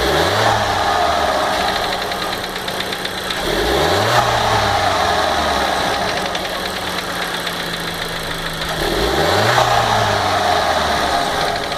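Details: 2015 VW Golf Variant 1.4 TSI, 3,000 km: fast light tick near four per second persisting at idle through three throttle blips; sounds like a lifter tapping, owner suspects a lubrication fault, cause undiagnosed by the dealer.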